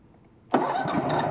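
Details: Cub Cadet LX46 XT2 riding mower, Chinese 679 fuel-injected V-twin, no-spark no-start traced to faulty start/stop module grounding the kill circuit: silence, then sharp catch settling into steady, even run; normal start.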